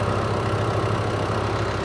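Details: 2007 Ford Everest turbo diesel, rear-wheel drive: steady, even diesel clatter at idle with constant low drone, no whistle or knock; healthy normal idle.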